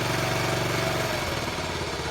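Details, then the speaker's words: 1974 Honda C50 single-cylinder, just started after 5 months sitting, engine very cold: quick, slightly uneven idle that drops a touch midway; normal cold idle settling in. "Remove the nuts off it, it's very cold, lubrication, pushing board all the time."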